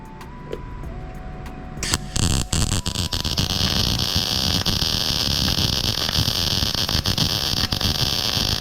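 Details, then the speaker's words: Sefaspe MIG250D welder in MIG mode, 0.030 wire with 75/25 gas, setting lowered to 15.9: after a brief tone, a steady even crackle like bacon frying without pops or breaks; normal good MIG weld. "It was sounding good. You want to listen for that sound of like bacon frying."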